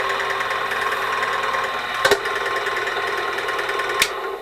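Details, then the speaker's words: 1996 China-made ZJ4110 8-inch drill press, run before teardown and rebuild: steady mid-pitched whine with a thin high ring over motor hum, plus two sharp clunks; sounds a little on the dry side, dry spindle bearings suspected, not confirmed. "Sounds like it's a little on the dry side."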